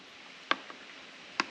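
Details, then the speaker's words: 1993 Ford F150 5.0L 302 fuel injector (14.7 ohms) pulsed on the bench from a 12.7 V battery with a current probe; two sharp, crisp clicks about a second apart, solenoid opening properly. "and watch, you'll hear it click, and you'll see the voltage, but the kickback is that other noise you see"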